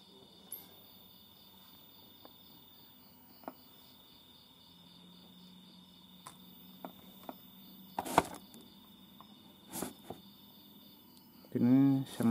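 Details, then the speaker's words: TV under repair showing no picture, only a thin shrill steady squeal with a few faint clicks; B+ supply voltage being checked, cause still unknown. "sama sekali, teman-teman. Namun hanya terdengar suara melengking."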